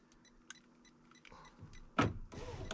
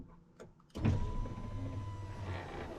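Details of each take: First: 2000 Ford F250 Super Duty power window motor fed 12 volts directly; short electric whir with clunks as glass starts and stops, window moves up and down, showing switches and motor are good. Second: Newly replaced power window motor on a 2000 Ford F250 Super Duty hums steadily about three seconds with a slight drag, then clicks off; glass seems to bind, owner suspects the rear window track is too tight at the bottom.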